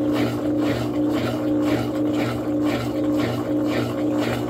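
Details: Top-load washing machine on spin cycle: basket stays still, only agitator turns; motor hums with back-and-forth swish about twice a second, never builds to spin. Technician suspects shift actuator fault, possibly burned actuator.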